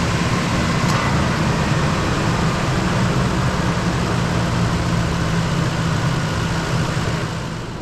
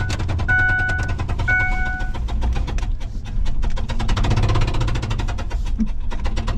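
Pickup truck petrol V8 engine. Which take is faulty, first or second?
second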